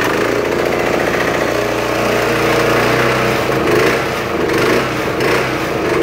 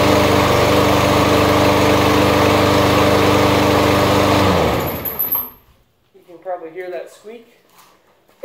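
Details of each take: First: Kubota W50 heavy commercial-grade mower, found free and fixed with new starter dogs, started on choke: the small single-cylinder runs steadily with no misfire or surging, running really well, though it sometimes smokes briefly on start. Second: New, very light walk-behind lawnmower, run only three times: engine chugs evenly, then cuts out, and a brief thin high squeak sounds as the blade spins down; owner suspects the brake, since it happens only at shutoff.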